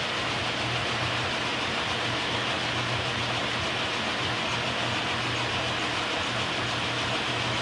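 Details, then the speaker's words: K&T milling machine after oil-system flush and refill with oil, oil pump flowing, clutch pulled for the first time in a long time with the spindle at its lowest speed. Even low hum, steady hiss and gear whir, no knocks or grinding. Normal running. "Here we go. First time in a long time. It's awesome."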